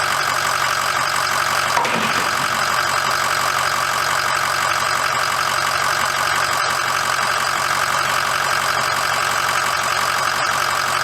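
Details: 2006 Ford F350 diesel idling after oil and fuel filter change and air bleeding: steady smooth consistent clatter, no misses or knocks; normal idle.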